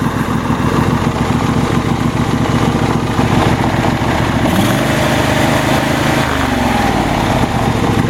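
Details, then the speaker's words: Troy-Bilt GTX2654 mower, 26 hp Briggs & Stratton V-twin, bought as a no-start (blown fuse found), old gas: steady even drone, no misses or knocks; normal running. "So I think it runs pretty good."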